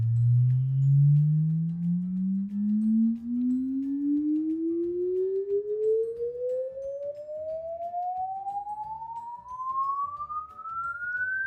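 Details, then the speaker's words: JBL 116a woofer from vintage JBL L19 speaker, after repairing open-circuit voice coil; signal-generator sine sweep from low bass past a thousand hertz, clean with no buzz or scrape, healthy response. "I'm gonna go ahead and run it through a signal generator, and we'll see if it makes any bad buzzing or how it works out. So I'll let you know in a minute. Here's a test sweep of the driver."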